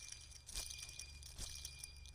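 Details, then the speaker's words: Porsche Boxster 986 during water pump and thermostat replacement, belt off; idler pulley spun by hand gives a dry gritty rasp with crunchy bursts from a shot bearing; bearing or whole idler to be replaced. "look what we found here bearing shot in that idler so i'm gonna have to pull that out son of a gun listen to this"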